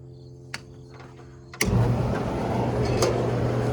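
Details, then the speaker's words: Corn dryer started after switching on a turned-off load auxiliary breaker, possibly 90 amp, and pressing start. A low hum, then a steady, even roar with constant drone; dryer and auger running normally. "And so I kicked him on, hit the start button, and now it runs."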